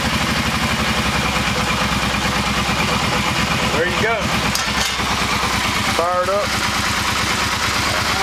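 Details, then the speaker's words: Kawasaki Brute Force ATV after motor reassembly (650cc bottom end, 750cc cylinders), first start with a little choke: steady, even low thumping idle, quiet, no ticking or rattling; running smooth. "don't really know what it sounds like on the camera, but it's pretty quiet here. No ticking, no rattling. Sounds like it's running smooth."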